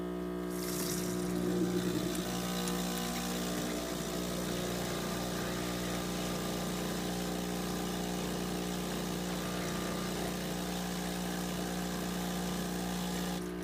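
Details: Six-month-old Breville Dual Boiler espresso machine with pressure still good: constant loud, low, coarse pump-like buzz at steady pitch with faint pulsing; cause unknown.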